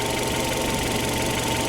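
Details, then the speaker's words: Opel Antara warmed-up idle before adding RVS G4 additive: steady idle with a fast, light, even chirping tick riding over it. Source unclear; suspected, not confirmed. "Mä luulen, että tää kone alkaa olla aika hyvin nyt lämmitetty, niin täältä se kuulostaa lämpimänä."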